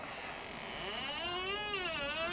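A drawn-out, wavering squeal whose pitch slides up and down as the door swings on a dry hinge.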